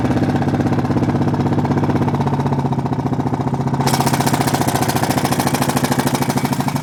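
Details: Honda Foreman single-cylinder ATV at steady idle: light, even top-end tick in time with the engine; valves already adjusted correctly, owner suspects the timing chain, not confirmed.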